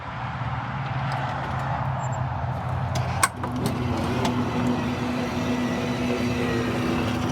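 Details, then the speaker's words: Van wheelchair ramp cycling automatically after door latch trouble: a low, even motor drone that sounds like the mechanism is labouring but no longer rattles. Cause is unclear. "yeah I don't know if that's the slouching mechanism sounds like it's laboring now but it doesn't rattle so I don't know I'm confused"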